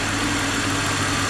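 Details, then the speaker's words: Drift-prepped BMW E46 wagon idling warm after cooling-system work, electric fan now running and cycling, temp started at 168 and climbing toward center; smooth airy fan rush, steady idle, no more bus-like whooshing — normal idle with fan running. "it's already so much quieter now that the fan isn't sounding like a bus whooshing and washing everywhere"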